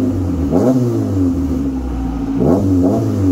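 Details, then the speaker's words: Saturn with new custom 2.5in exhaust replacing straight pipe, V-band welded on: two clean revs climbing and dropping to a steady deep idle, no rattles or leaks; exhaust sounds healthy. "so yeah but i'm gonna let you guys hear it at least uh it sounds pretty good"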